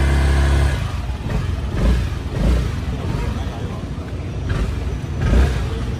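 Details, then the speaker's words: 2018 Honda SH300i scooter before repair: heavy uneven shudder with rattly clatter on each throttle opening pulling away; juddering CVT clutch. "300 nó đang bị tình trạng là run ra đầu là máy nó kêu đây cái nồi nặ nó bị chuột luôn nó đang bị rung nặng lắm nha"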